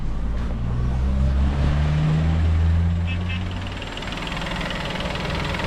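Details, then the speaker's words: Peugeot 2008 on first start after a wet timing belt change: smooth, even low idle with no ticking, knocking or hunting; runs perfectly, though an engine fault code appeared from cranking it over. "Let's just see if it starts. First turn of the key. Lovely."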